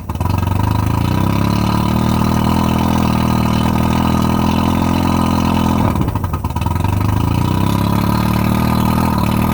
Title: Rough idle and misfire 1995 115 Merc 2+2.